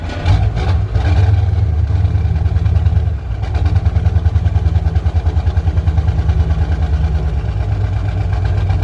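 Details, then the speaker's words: 1985 Ford F8000 with Caterpillar 3208 turbo V8 diesel, sat since August, starter solenoid repaired, freshly fueled, cold weather: deep, steady, even idle with little white smoke; normal diesel idle. "running real clean too not much of white smoke I was expecting a lot more"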